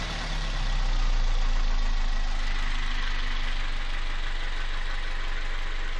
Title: 1zz-fe стук в двигателе